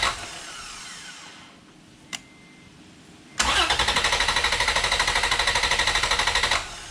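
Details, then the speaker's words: 2011 Toyota Tacoma cranked on a Lokithor J400 2000A jump pack, main battery disconnected, EFI relay pulled: brisk, even cranking about three seconds per burst, never catching; quick strong crank, cables warm afterward, no start by design. "I have to admit that, woo, cables are warm. I'm impressed with this little jump pack. I was not expecting to crank that quick and that fast, and it still maintained all 4 bars on the unit."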